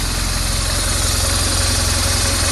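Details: BMW R 1200 R idle after cam chain tensioner replacement (old tensioner piston not working); earlier engine noise unchanged by clutch. Even, steady idle, smooth low thrum, no ticking or clatter; engine sounds healthy.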